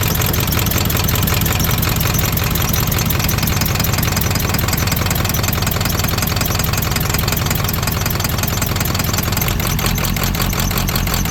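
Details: Ford 7.3 Powerstroke diesel, OBS truck about 32 years old that sat abandoned for years: lumpy, uneven idle clatter with irregular loping. With one connector plugged in it misses on about half the cylinders; unplugged, it misses on only one.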